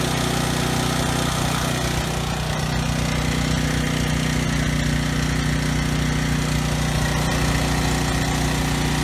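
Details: Briggs & Stratton generator engine after carburetor cleaning and governor tab bent to raise no-load speed toward 61 Hz: steady, even low hum, no stumbling or surging at no load; earlier stutter resolved, running smoothly.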